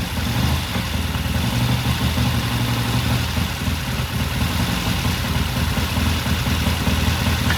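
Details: 1969 Triumph TR6 vintage British motorcycle, pilot jet cleaned and pilot air screw turned in half a turn for a richer starting circuit; warmed up after a cold start, a steady even low thump with no misses, knocks or hunting: normal warm idle.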